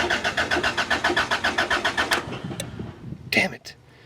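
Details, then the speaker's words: Car that earlier failed to start during two weeks of troubleshooting, with rigged wiring. The starter cranks steadily at roughly four beats per second for two seconds, then stops; the engine never catches. No spark found. "still nothing what the hell did these guys do this car man"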